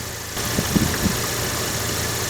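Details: Opel Vectra A (front-wheel drive), front wheel jacked up, engine running in first gear: a low, steady drone from a worn front hub bearing, while the opposite side turns quietly.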